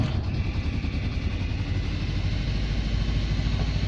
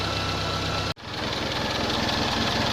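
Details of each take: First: Nissan Bluebird first start after head gasket and water pump replacement. Rough cranking and stumbling firing with a high, steady screech that falls away as it dies. Caused by one valve clearance set far too tight, then reset. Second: Nissan Bluebird after head gasket replacement, first successful run: smooth, even idle with steady low beat and one brief dropout, settling quickly; runs cleanly, though coolant leaks from thermostat housing.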